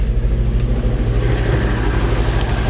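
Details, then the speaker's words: 1971 Alfa Romeo 1750 GTV, manual, at idle: deep, even low beat with no knocks or ticks, running relatively smooth; idle was a little high when cold and dropped as it sat, and may need adjusting. "all right quieter but you can hear the engine it's uh it's running relatively smooth"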